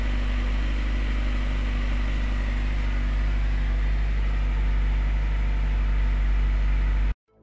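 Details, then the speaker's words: Opel Astra G 1998, 1.6 16V X16XEL petrol engine, just started after timing belt, water pump and crankshaft seal replacement; smooth, even low hum held steady with no ticking, rattle or hunting; normal idle. "Zaraz uruchomimy silnik. Ja Wam mogę powiedzieć, że na pewno jest wszystko perfekt."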